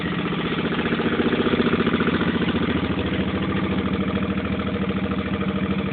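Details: 2005 Suzuki Boulevard C50 V-twin, just bought, loping at idle with a quick light tapping riding on each beat, a few taps per second; source of the engine tapping noise unknown.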